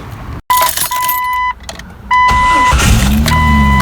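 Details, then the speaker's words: Jeep Cherokee XJ 4.0L that wouldn't start, now with new battery reading 12.30 V: a few dash chimes, short crank, engine catches at once and settles into steady even idle; strong start before alternator check. "I got a strong start [Music] with that alternator soon"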